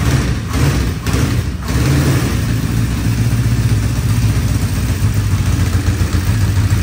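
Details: 1975 Honda CB550 four-cylinder motorcycle, first start after 10–20 years parked, all four carburetors dipped and cleaned; a few heavy thumps as it catches, then lumpy uneven low idle with dropped beat; one cylinder dead, fuel-starved misfire.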